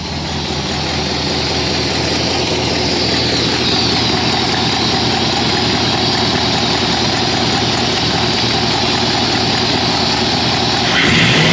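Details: Ford V8 with 4-barrel carburetor, after sanding a sticky spot on the slide linkage that made the 4-barrel stick open: steady idle rises briefly with throttle, then settles evenly with no hang-up or stumble; running normally.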